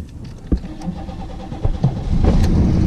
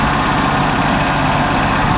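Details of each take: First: 1987 Oldsmobile project car, hard starting: several uneven cranking bursts before it catches on about the fifth attempt and settles into a rough but steady idle, with a little smoke. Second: 1987 Oldsmobile Regency after sitting three years, just started on a borrowed good battery: steady, even idle with constant low drone, no knocks or misses; some smoke and a small leak seen.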